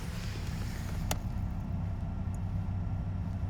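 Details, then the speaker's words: 2004 Mercedes SL55 AMG R230 HVAC blower after cleaning and lubricating the shaft to stop the cage rubbing: on low speed only a soft, steady hum of the old motor, no rubbing or scraping. "all you hear really is the humming of the motor, which again, it's old, so it doesn't surprise me."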